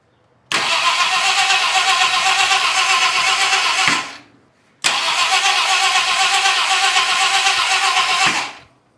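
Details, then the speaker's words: 1966 Ford Country Sedan 390 FE big block with new cam and used heads, oil pressure and spark present: two long even cranks with no firing; compression probably lacking. "Some of them were too tight, so it was again bleeding off compression."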